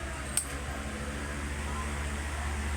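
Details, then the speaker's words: Electric fan, earlier noisy from a worn bushing and shaft that will need replacing: a quiet, steady hum on the middle speed with no rubbing or growl, so it is running normally for now. "Ayan so wala na yung kanyang ingay so good siya"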